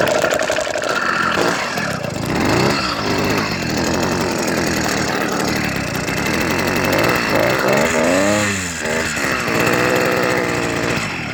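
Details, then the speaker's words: Two-stroke motorized bicycle started after a year sitting, hydrolocked with muddy water in a crash, running very old gas, throttle cable and air adjustments fiddled, smoking and oily: revs surge and sag, won't hold idle; cause unconfirmed. "does not [ __ ] idle with enough [ __ ] [ __ ] with the throttle cable and Airport justments"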